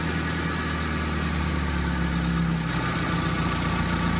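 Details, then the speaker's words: T120SS MPI engine after replacing the faulty CKP (crankshaft position) sensor, which caused a no-start and did not show on the scanner; now running a steady, even idle with a low smooth hum, no misses, knocks or hunting. "dan setelah kita ganti hasilnya ternyata benar mesin sudah mau hidup lagi yang disebabkan oleh sensor ckp"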